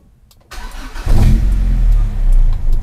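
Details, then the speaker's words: Honda Civic Genio with Civic Ferio engine, cold engine: starts after short crank and settles into a slow, deep, lumpy idle near 500 rpm, far too low; ECT coolant temperature sensor being checked as suspected cause. "Ini posisi mesin dingin ya. Posisi mesin dingin dan dia di 500 RPM."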